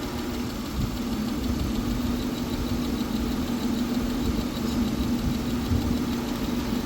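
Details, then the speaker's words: Older Honda Accord V6 idling roughly: uneven, stumbling low pulse as cylinder 2 drops out, with no spark detected at coil 2; multiple misfire codes; coil 2 to be swapped with coil 4 to isolate the cause. "two is dead completely dead no action so I'm going to switch coil 2 with number four in the front here and then see if it's still dead"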